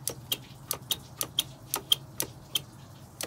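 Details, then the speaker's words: Twin LS 4.8 swap on Mercruiser Alpha drive, Terminator X, shift interrupt relay grounding the multi-coil ignition, running around 750 rpm: crisp clean clicks about three per second; normal relay clicking. "all right so we're running now have it uh around 7 50 rpm stalled it but uh there you go so you can hear a relay click"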